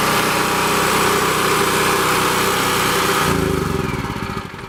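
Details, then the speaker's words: Champion 196cc 3500 running/4000 starting watt portable generator, started on choke on the first pull after sitting almost 2 months: steady, even governed speed with no knocks or misses, then winding down; normal running. "Okay, as you can see, it starts up pretty easy. First pull, it's been sitting for about almost 2 months now, and I haven't really touched it."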